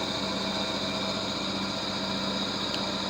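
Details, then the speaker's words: Vintage HPA wheel balancer, probably Danish, early 1960s, running with no added weight and not bolted to the floor. Steady spinning hum with a light loose rattle from the unbolted frame, no building wobble beat; zebra disc quite stable. Normal running. "Of course, this has not been bolted to the floor, so there will always be some some vibrations. But as we can see, the zebra thing is quite stable."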